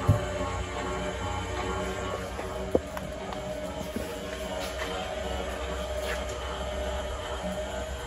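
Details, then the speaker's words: 2023 Forest River Chaparral Lite 30BHS travel trailer, after auto-level success: leveling jacks retracting with a steady even motor drone, no straining or grinding; normal retraction. "so now let's say you were to want to retract them all cuz you're moving sights or whatever you do just hit retract and and they're all going to"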